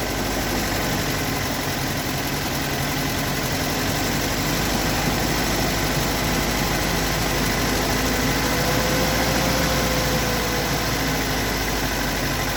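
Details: Toyota AE86 with stock bigport (blue top) 4AGE, unmodified, regularly maintained, about 195,000 km; lumpy cold idle with light fairly regular knock near three per second; recorded at exhaust, cabin and engine bay; source not located.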